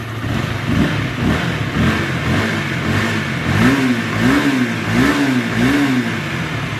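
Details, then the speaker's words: Sonic single-cylinder at 85,000 km after crank bearing and balancer bearing replacement: rough rasping rattle over the engine as revs rise and fall from a worn, never-replaced cam chain, due for replacement. "Nah masih kasar ini disebabkan oleh rantai keteng teman-teman rantai ketengnya juga udah lumayan aus teman-teman ini ada suara ngasreng kayak gitu"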